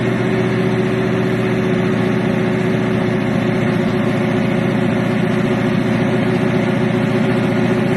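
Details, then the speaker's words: Regal "Grandma Nana" started cold, chokeless carburetor, air cleaner off: idle lumpy and uneven, beat wandering instead of settling; rough cold idle, carburetor needs tuning. "I ain't finna lie to you. She rough, man. With that tokeless. That carburetor with no choke horn. It needs some tuning too."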